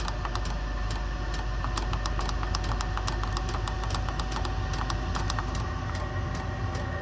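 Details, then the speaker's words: LIKACI portable all-in-one diesel heater on a truck battery, warmed up and ramped to a higher setting: steady low combustion roar, blower hum and quick light fuel-pump ticking; running cleanly at high output. "yep as I ramp it up puts more Demand on it and"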